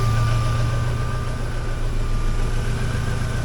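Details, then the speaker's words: 2003 Mini Cooper just running after sitting, immobilizer hot-wired: steady thin whistle high above an even idle, holding pitch; source unclear, owner suspects a fan spinning up. "oh cool well I think this car is uh savable I think it's going to be okay wonder what that little sirene sound"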